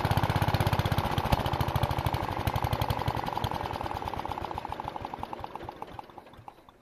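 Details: Uneven single-cylinder thumping at about four beats a second, fading as it slows, from an MTD 760/960 with cast-iron Briggs & Stratton engine, run with crankcase breather hose removed after an oil leak; running rough and weak.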